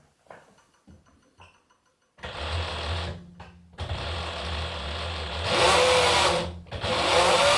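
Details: Singer 107W1 industrial sewing machine with servo motor after new 3L belt fitted, no needle: quiet start, then spins up in bursts with smooth steady whir, no belt slap or squeal; normal running.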